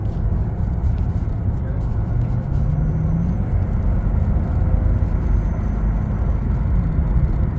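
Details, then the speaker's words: Toyota Tundra with previously cut-up cat-back exhaust, now refitted on a rebuilt mount with rubber isolators; smooth low road rumble while driving, no booming drone: quiet exhaust. "It is stable, rubber isolators, and this exhaust sounds so much better. I'll post a clip of how it sounds driving with no drone and way quieter."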